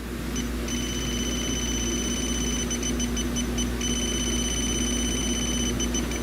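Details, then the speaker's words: 2013 Hyundai Elantra with AC discharged after leaking last year: refrigerant leak detector beeps in rapid repeating bursts, pegging out at full scale near the high-side Schrader valve even on low sensitivity; doubted as possibly set off by oil, soap spray next. "And it's still pegging out. I'm going to spray a little soap on there."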